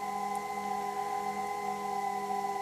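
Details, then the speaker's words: Leevers Rich Series Cs vintage location reel-to-reel tape recorder: steady low hum with fixed high whistle, the normal sound of its rotary converter, which is why the box is packed out; brushes suspected worn, neon not lighting. "that hum that whistle is a kind of sound you'd have at all times and hence why the box has been packed out"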